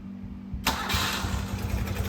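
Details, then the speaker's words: Motorcycle revived after sitting 20+ years, cylinder exhaust temps within about 15 degrees; restarted with key and start button, brief starter whir then catches almost instantly into even idle — normal starting. "it just pops right off and runs amazingly."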